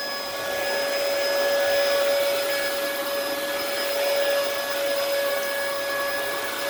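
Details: Early 2002 Dyson DC07 vacuum being fixed, running: steady high motor whine with strong airflow rush and no choking. Suction is strong and the ductwork is unclogged, but the motor tone and wind-down sound odd; it sounds normal with the bin removed.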